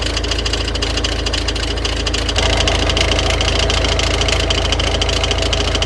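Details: Engine at steady idle with a rapid even knock from the front: the crankshaft pulley's vibration damper is damaged, so its two parts strike each other. Not visible, but the belt tensioner moves excessively.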